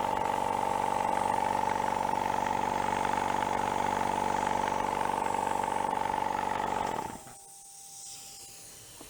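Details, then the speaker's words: Used factory air compressor after repair of a bad rod knock with spare parts: strong, even chugging at about four beats a second over a steady hum, with no smoke and no more oil pushing out the breather; it runs normally. "I think it likes that much better. Not even smoking. Not pushing oil out the breather anymore neither."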